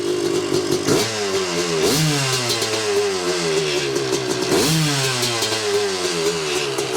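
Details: 1986 Yamaha YZ250 two-stroke, not run since 2015, reeds cleaned, first start on a borrowed carb and throttle from a 1975 250 MX, choke on. Crisp ringing revs rise and fall in repeated blips, picking up cleanly each time: normal two-stroke run.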